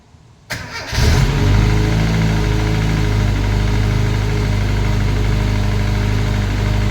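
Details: Classic Mini turbo, first start, ECU on laptop with lambda sensor: steady idle with a light, quick tapping; sounded almost like a big end but felt and heard at the rocker cover, so valvetrain knock.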